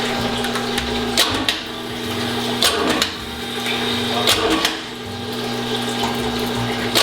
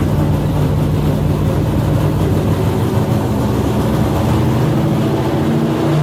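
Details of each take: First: Outside-built engine with hydraulic cam on dyno during cam break-in, valve cover off while cranking: uneven sharp ticks and light clatter; one rocker arm sits off to the side of its valve, causing valvetrain ticking; engine also running lean with vibration. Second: Customer's carbureted drag-racing V8 on the dynamometer, running alcohol from a temporary gravity-fed bucket: a loud, steady, even bark with no knocks or stumbles, with timing and carb jetting slightly off perfect. Normal running.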